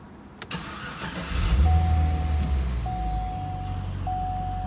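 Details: 2013 Cadillac CTS-V pre-purchase inspection, cold start with hood open: starter whirs briefly, engine catches with a strong low rumble and settles into a smooth, steady idle just over 500 rpm; healthy start.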